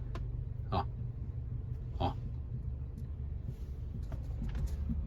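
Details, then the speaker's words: Honda Civic, noise when the steering wheel is turned gently: two dull clunks about a second apart from one front side. Owner suspects suspension or a mount, not confirmed. Front suspension clunk when steering. "dá para ouvir que é desse lado aqui eu não sei se é se é a suspensão coxin ali alguma coisa"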